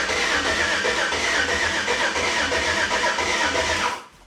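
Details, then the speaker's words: Chevy C10 with LS engine, new Holley Terminator X Max Stealth EFI, first start: even cranking about four turns a second, not firing, fuel just arriving with air in injectors; coil harnesses, passenger and driver side, suspected. "Don't sound like it's hitting, boy. What's probably happening is what I asked about is the the harnesses for the coils."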